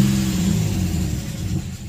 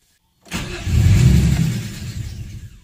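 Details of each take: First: Nissan VQ35DE (G35/350Z) with a stalling issue, warmed up about 10 minutes at 183°F: a short rev falls back smoothly to a steady idle, not dropping far below 700 rpm. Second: VQ35DE engine (G35/350Z) stalls after warming up: it catches, runs briefly, then sags and dies within two seconds. An idle relearn did not fix it.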